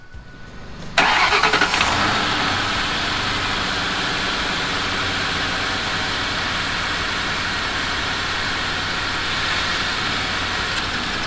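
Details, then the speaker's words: Mercury Grand Marquis after an exhaust manifold repair with the Y-pipe reconnected: the engine catches after a quick crank and settles into a smooth, quiet idle with no exhaust ticking or puffing; normal start and idle. "And there you have it, folks. It is the next day, and I bet you can barely even hear the car running behind me. It is so quiet."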